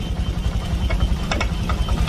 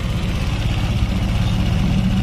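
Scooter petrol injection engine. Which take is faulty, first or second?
first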